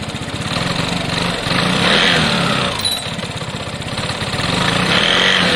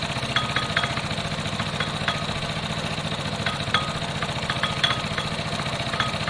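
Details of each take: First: Piaggio Fly scooter, single-cylinder, after reassembly: quick, even putter of about four beats per second, smooth drive and no rattle; running normally, though the throttle cable is still a bit loose. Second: Piaggio Fly moped on a test run: small engine idling with an irregular light metallic rattle and clicks, a common centrifugal clutch rattle, first suspected to be the rollers; the fix considered is swapping the clutch.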